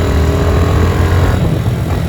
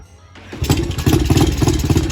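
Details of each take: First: Yamaha TTR-90 pit bike while riding, after carb cleaning: the small single pulls cleanly through the rev range with no misses, knocks or hesitation, so the engine runs normally. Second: Yamaha TTR-90 pit bike after carb cleaning and unclogging the main jet: it catches and runs in uneven, choppy pops, then dies when the hand is taken off the carb. It starts but won't run on its own fuel, suggesting it needs more fuel, and the carb probably needs cleaning again.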